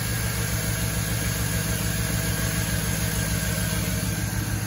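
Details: Jeep with LS Vortec engine and late-90s/early-2000s Vortec intake, return-line vacuum-operated fuel pressure regulator, idling at about 18 inHg vacuum and 50 PSI fuel pressure: smooth even low hum, no knocks, misses or hiss; healthy.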